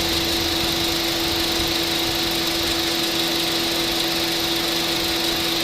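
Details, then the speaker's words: Honda City at idle after A/C repair (compressor had stopped working; new clutch plate, compressor oil changed, new drier and belt): constant steady hum with fixed mid tone over fan hiss, no rattle or clutch chatter; normal compressor operation. "ปรับพัดลมหยุดนะครับพร้อมทำงานเสียงการทำงานปกตินะครับ"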